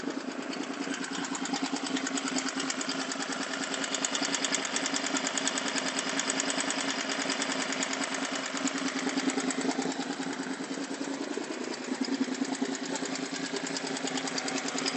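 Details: Honda VFR750 FG V-four at idle: fast, light tappety ticking over the engine note. 12 of 16 valve clearances were found tighter than spec; after resetting them the ticking persists on the tightest valves, possibly damage or clearances slightly loose.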